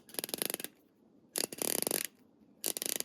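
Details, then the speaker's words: Sealed-head ratchet (Snap-On vs Pittsburgh Pro comparison): three quick bursts of crisp, evenly spaced, solid clicks as the handle swings back; pawl engages firmly with no slipping. "Nice solid clicks here. Sounds good. Solid engagement."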